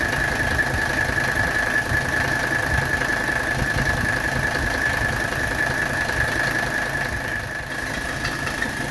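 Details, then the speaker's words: 1985 Mercedes 300SD diesel idling during AC recharge: fast, uneven chatter and thin high chirp from the compressor, because the fresh belt is not yet tight enough and needs tightening. "you can hear there's a little chattering coming from the compressor area that's because that's a fresh belt and I need to tighten up the belt a little bit"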